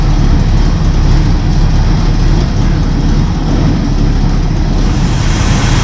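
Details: Freshly rebuilt Buick 401 Nailhead V8 (second rebuild) just installed in the car after oil and fuel priming, first start: deep steady rumble with an even beat, no misses or knocks, settling into a clean healthy idle.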